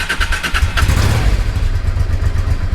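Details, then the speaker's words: Honda Deauville NT650V V-twin, warmed up, on the old exhaust (a Motad, owner thinks) before swapping to a Delkevic end can and link pipe: deep, steady, even thumping beat with a couple of light blips; normal warm idle. "so I just remembered before I yeah start what I wanted to do was let you hear the old exhaust so I warmed up"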